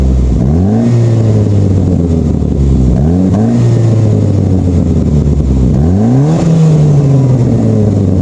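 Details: Saab 9-5 with flex pipe broken over winter: loud, raspy blat rising with each throttle blip and falling back to idle, exhaust escaping at the failed flex pipe before the silencer.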